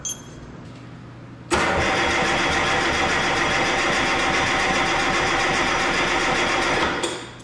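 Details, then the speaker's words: Detroit 3-53 two-stroke diesel, first start attempt after 25 years; rebuilt in 2000 with the camshaft installed reversed front to back. On ether it catches with a harsh roar, runs about five seconds, then fades and quits. It would only burn the ether and stop. "It just wouldn't run. I give it a sniff of ether and it would fire up and quit. It would just burn the ether and stop."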